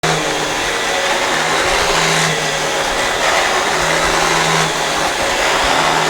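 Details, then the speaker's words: Dyson DC17 Animal vacuum, about eight years old, with a visibly worn brush roller; extra noise only when the brush roll runs: loud airy roar with rough whirring and an intermittent low hum from worn brush roll bearings. "it also is making a lot more noise and I notice that it's only when it's actually when the brush rollers running I think the thing has just gotten worn out"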